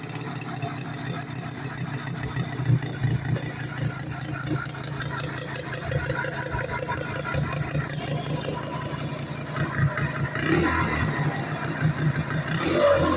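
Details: 1972 French Advancer Sachs rotary-engine motorcycle, start-up after rebuild; smooth, steady buzzing at even speed with a slight rise near the end, no knocks; rotary running healthy.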